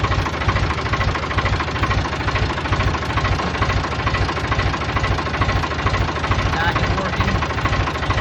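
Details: 1988 Ford 4610 tractor, Ford 201 cu in diesel (about 65 hp), restarted after an oil and filter change with a new tach cable: steady, even low-idle diesel clatter, a couple of beats a second, no misses or knocks; normal idle.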